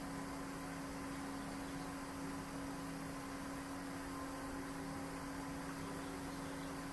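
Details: Hayward pool/spa gas heater after adjusting the thermostat's calibration screw (previously shut off early at 99°F): steady even burner roar with constant hum, no knocks or surging, heating toward 104°F before shutting off; normal burner operation.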